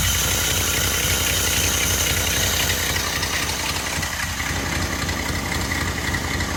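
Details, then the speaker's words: 1945 Cadillac flathead V8 from M24 Chaffee tank on test stand, cold with choke on, old muffler fitted, rebuilt Hydra-matic: soft even muffled idle, steady low pulses, no knocks or misses; starts and runs really well. "we got an old uh muffler on there just to keep the noise down a bit she starts really well and runs really well this engine"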